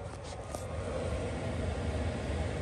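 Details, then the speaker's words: Chinese diesel heater after about 2000 hours, serviced with new motor bearings and a new exhaust silencer: a low steady whir and soft combustion roar on almost-low setting, even and extremely quiet with no bearing grinding; running normally. "Substantially more quiet than it used to be. Well, it's just dropped down to almost low, and it's extremely quiet again, which is good."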